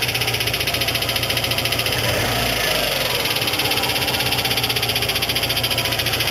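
Idling engine with an uneven metallic rattle ticking through it, roughly twice a second; a cracked drive plate is rattling.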